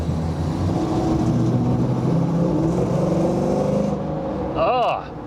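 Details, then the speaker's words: 1986 Pontiac Trans Am with LT swap under throttle: loud exhaust climbing with a coarse raspy edge and drone, worse after recent work; owner suspects the cheap Amazon 4-inch catalytic converter, unconfirmed. "before it sounded like a fart Cannon now it sounds like a wet fart Cannon probably and this is my next step it's got to be that cat"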